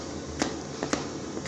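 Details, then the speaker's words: VW Passat B6 rear suspension knock: removed shock absorber shaken by hand gives four dull, uneven knocks; water frozen inside the damper is knocking. "Вот брат Пассат стучит говорит что-то в подвеске снял амортизатор он бедный вот так вот шатается и говорит стучит что-то"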